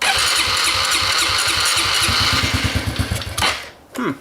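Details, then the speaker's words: Dirt bike test-fired after fitting a new chain: it fires in an uneven pulse about twice a second, stumbles and dies after three seconds; hard starting and stalling, and the owner suspects it is almost out of gas. "actually he might be almost out of gas let's try that"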